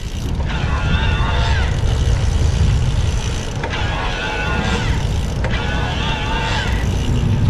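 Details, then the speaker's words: 2021 Diamondback e-bike with Bosch mid-drive speed motor, test ride switched from eco to turbo assist: fairly loud whine over steady wind rush, pitch rising and falling with each pedal push; normal mid-drive motor whine. "we're gonna switch it all the way up to turbo oh it is pretty pretty loud which which is fine you know there it is the speed version of the motor there"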